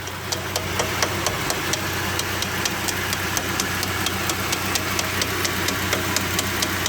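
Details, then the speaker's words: GAZ 2790 van just converted to LPG (gas equipment): sharp metallic ticks about twice a second over a steady idle after driving, fine at morning start, coming and going; bottom-end knock, owner suspects connecting rod or piston slap, unconfirmed. "то есть именно проезжаешь на машине заводишь с утра всё нормально проезжаешь на машине куда-либо неважно причём особо сколько на холостом встаёшь и начинает она стучать то постучит успокоится успокаивается и так далее"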